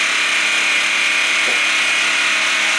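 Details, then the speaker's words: Black Max 1000 W inverter generator running in a garage in eco mode, no load yet; steady even hum with high airy whir, much quieter, no knocks or surges; normal eco mode idle. "I don't know what it sounds like on camera, but that has gotten a lot quieter."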